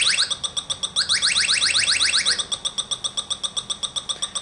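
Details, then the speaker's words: Automotive A/C, electronic leak detector probe at the low-side service port, sensitivity turned up high: rapid chirps near four a second, rising in pitch and speeding up as the probe finds a refrigerant leak. "and that's what you'll hear and see when you come across the leak"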